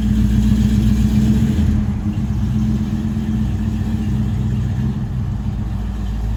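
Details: 1968 Dodge Dart GT convertible, 318 V8 from a truck with under 70,000 miles, 4-speed manual, sat about six and a half years, owner thinks 140 psi compression on all 8 cylinders, good oil pressure: deep even burble with steady low firing pulses, no knocks or ticks; healthy.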